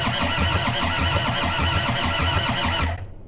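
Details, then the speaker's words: Long-neglected skid steer, wet compression test on cylinder four with oil: rhythmic cranking about three and a half beats a second reaching 300, pressure heard leaking somewhere on the head. "we hit 300 and honestly i don't think it's the gauge that's uh losing the pressure now that i think about it i'm hearing it it's somewhere on the head well that loss of compression that quickly could definitely be an issue"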